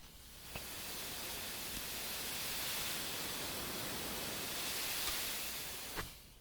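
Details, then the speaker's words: Central Pneumatic 3-gallon 1/3 HP oil-free pancake compressor, five years old, that only reaches about 35 psi. Microphone is at the hose-end coupling, which gives a constant sharp hiss. This is an air leak at the hose coupling. "okay the first thing I'm hearing is a air leak out the other end and so there is an issue right along here on this side"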